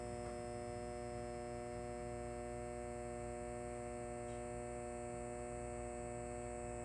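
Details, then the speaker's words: Old Halco/ProLume 70W high pressure sodium bulb with blackened arc tube, cycling: steady ballast mains buzz with thin high whine, no rhythm, ballast starting loud then getting quiet as the lamp goes out. "And the ballast, as you heard, was starting to get quiet."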